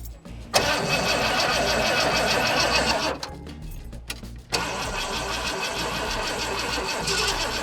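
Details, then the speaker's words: 1985 Ford Econoline E-350 box van, sat for years, cheap fuel pressure regulator fitted: engine catches with a harsh uneven burst, stumbles, then runs ragged and loud; hard, rough start, owner suspects timing badly off. "Well, I don't like the sound of that. When it tries to start, it's like pulling timing really bad or something."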